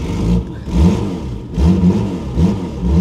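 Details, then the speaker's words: Ford Granada Mk2 2.8 V6 automatic, parked 20+ years, just revived: good oil pressure, a bit smoky; engine picks up cleanly on throttle blips and drops back evenly, no knocks or misses, sounds very sweet. "She sounds very sweet."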